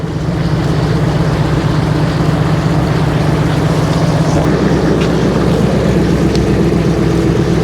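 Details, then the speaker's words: 1999 Ford F250 V8 at idle after replacing the stock muffler with a 2.5 inch Thrush glasspack and fixing exhaust leaks with welds and clamps: deep, steady burble with no ticking or puffing; quieter than before, louder than stock. "it sounds quieter than it did, but louder than stock."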